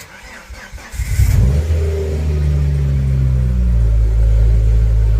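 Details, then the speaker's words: Ford Focus ST five-cylinder with earlier misfire problems, started before a planned coil check. It catches within a second, flares, then settles into a smooth, even idle with no miss. The owner wonders whether water in a plug has dried out. "That That don't sound bad. That don't sound like she's misfiring. That sounds like she's meant to."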